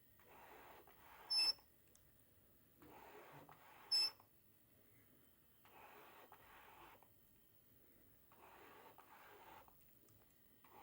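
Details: Tamron SP 35mm f/1.8 lens gives a harsh, scratchy autofocus screech each time it hunts focus, in repeated one-second bursts; began a few weeks after purchase in Live View AF, then also in viewfinder AF.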